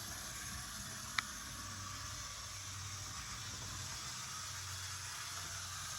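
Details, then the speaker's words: Vintage DC HO scale Jersey Central A unit locomotive run forward and reverse on track: faint steady whirr and hiss with low hum, even with no catches; motor runs smoothly. "we know this one runs it's going all right we get some backwards action too"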